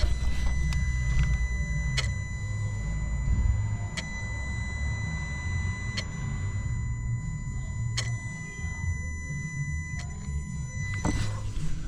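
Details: Peugeot DV6 diesel, engine off, scan-tool EGR valve actuation test after fixing P0489/P12B3/P1162 faults: crisp click about every two seconds as valve cycles for about 20 seconds, test passes with no fault codes; normal EGR actuation.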